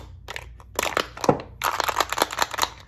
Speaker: the death rattle if you hear this sound most likely your box has been dropped thrown kicked whatever that means the batteries have been knocked out so after removing the three screws open it up and you will find your batteries are loose and rattling around in there that's why it's dead